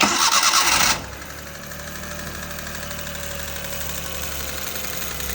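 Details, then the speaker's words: Engine with a light, steady tak-tak ticking over the idle hum after the starter burst, present both when starting and when running. Valve tappet tick. "इसमें कुछ टक टक टक की आवाज आ रही है चलाने पे भी और स्टार्ट करने पे भी आ रही है"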